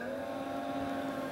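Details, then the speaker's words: Robotron A5120 computer after power-up via its soft-controlled power supply: a steady cooling-fan whir with no rattle or scraping that then turns down in speed, normal fan operation; one power-supply LED stays unlit. "I us the fan spinning so now the fan turned down that's also like normal like a like know today the fan adjusted speed so not very common in these days"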